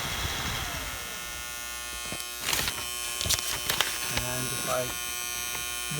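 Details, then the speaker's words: Teletype Model 33 ASR, powered on: loud harsh electrical buzz from the rear near the motor, changing when the motor is turned, with some mechanical clicks; source not found, owner plans to replace the two big capacitors. "Something is buzzing very loud there. Seems to be the motor there. When I turn the motor, changes the buzzing sound."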